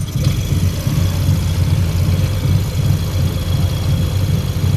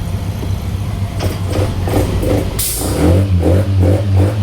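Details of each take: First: Yamaha NMAX that stumbles and stalls on acceleration, charging at 14V with the engine at about 80°C, idling with the mechanic's known-good MAP sensor fitted: a low, steady idle with even pulses and no stumble; the MAP sensor was judged faulty. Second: Yamaha NMAX scooter stumbling and nearly stalling on acceleration while idle is normal: uneven, hesitating revs; the faulty MAP sensor and a failed spark plug were replaced.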